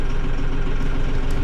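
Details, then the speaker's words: Mahindra 6065 diesel tractor after service reminder reset: steady low rumble with an even beat and no chime or alarm, much quieter than before; normal idle. "oh man it's so much quieter"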